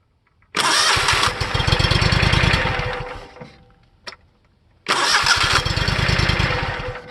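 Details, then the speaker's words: Simplicity Legacy 20 with Kohler CH20S V-twin, new solenoid fitted, connector cleaned with DeoxIT during no-crank diagnosis: two strong cranking bursts, even chugging near four beats a second, starter turning engine normally and working better. "now it's actually working better"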